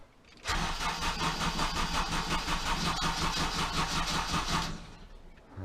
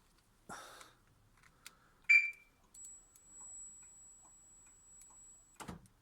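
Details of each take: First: Honda Civic Type R EP3 with replacement ECU just installed: cranks and catches but runs lumpy and uneven, pulsing about three times a second before dying; suspected failed injector driver in the ECU, not confirmed. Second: Honda Civic Type R EP3 after a new injector driver was soldered into the ECU, wires temporarily twisted together: starter whirr, engine catches cleanly and settles into a smooth, even idle, no misses or knocks; repair successful.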